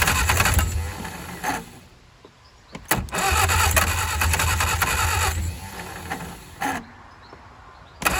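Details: 1959 Reliant Regal three-wheeler, unrun over 20 years, fuel trickled into carburettor: bursts of cranking catch briefly and die without backfiring, then crank again; fires but won't run, carburettor flooded.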